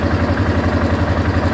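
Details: 1989 Yamaha Moto-4 350 quad idling just after a top-end rebuild (new rings, valve seals, gaskets, fresh oil and filter): steady, even low thump with no knocks or ticks, no smoke or burned-oil smell yet; valves still due for adjustment; runs cleanly.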